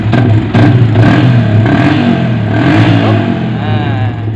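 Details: Yamaha Vixion (old model) fuel-injected motorcycle started after ECM/ECU replacement, fuel pump pressure about 30 PSI: engine catches and runs with firm low beat, picks up cleanly on throttle, no misfire or stumble; runs healthy.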